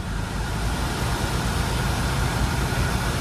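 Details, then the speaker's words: 2011 Chevrolet Cruze 1.6 manual, 258,000 km: heater blower at full speed gives an even rush of air, airflow flaps switch audibly, no whine, ticking, foreign noise or vibration; healthy fan motor. "направление обдува У нас меняется слышим заслонки срабатывают никаких посторонних звуков никакой вибрации у на нету ВС отлично"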